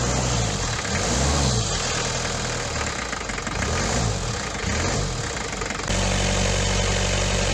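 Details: Daihatsu Fourtrak pickup, first start after engine swap (old engine blew head gasket), turbo fitted, new clutch: diesel catches, revs rise and fall, then settles to steady even idle with no knocks; running healthy.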